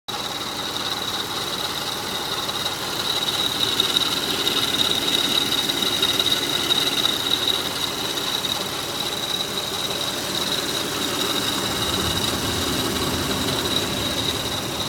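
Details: 2004 Toyota Highlander 3.3L V6 (3MF-FE) idling with A/C off, just after all belts were replaced: thin, steady high-pitched chirp/scrape that seems to come from the timing belt. Serpentine or timing belt suspected, not confirmed.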